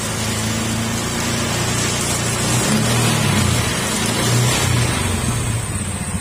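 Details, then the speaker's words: Honda Beat FI v2 scooter running: steady engine drone with a rough, gritty rumble from the final drive gearing, louder at higher speed, like a crushed bearing; gear oil found milky from water contamination; worn final drive bearing. "Maingay pagka lalo tumatakbo ng matulin, maingay. Yan, kung maririnig nyo, parang may durog na bearing."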